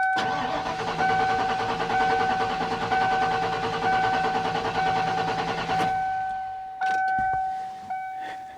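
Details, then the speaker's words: 1995 Ford F-150, non-runner: the starter cranks steadily about once per second for six seconds with no firing. It cranks but won't start; the owner suspects a dead distributor pickup coil. "We're going to turn the ignition And let's see if we get any jumping, because if we don't, then that means the computer or the pickup is not firing the coil."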